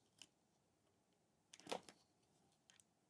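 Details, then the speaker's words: Voron 0.2r1-S1 3D printer toolhead being assembled: faint, sharp clicks as the part is rocked by hand after tightening. Very little play remains, barely visible, but the clicking is still audible. "there's there's very little play now very very little but there is some small amount of movement so it's very very little but you can still hear the clicking but you can't barely see it anymore"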